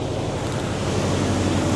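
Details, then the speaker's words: 1996 Mazda/Ford Ranger B2300 pickup at idle, AC switched off, after long parking: uneven, lumpy idle with low irregular thumps and shaking; exhaust leak present, but the main fault is a dead cylinder, suspected number one, from low compression. "so yes we do have an exhaust leak but we still have a nasty misfire see that not running well shaking it idle"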